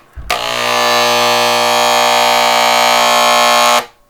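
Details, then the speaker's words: Harbor Freight electric paint sprayer gun, similar to Wagner guns, after a deep clean and reassembly with the cleaned atomizer, cone and pickup tube, loaded with paint. A steady, even buzz holds one pitch for about three seconds with the trigger held; running as it should. "She's working. That's what it should sound like. Right there. Anyway, there it goes. That's what it's supposed to sound like."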